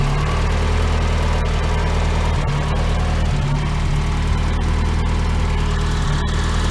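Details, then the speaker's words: Mazda Miata idling: low, uneven, stumbling idle that nearly stalls. Owner suspects the spark plug wires; one is cracked, one wet at cylinder one, and a coil pack may be ungrounded after painting. New NGK plugs and wires fixed it. "Like, just listen to this idle. Like, just so bad. Like, it's almost stalling out, right?"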